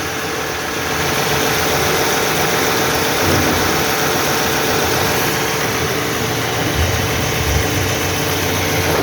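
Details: 2009 Toyota Highlander/Kluger 3.5 V6 after new drive belt and belt tensioner fitted: steady, even idle with no squeal or chirp from the belt run; normal idle.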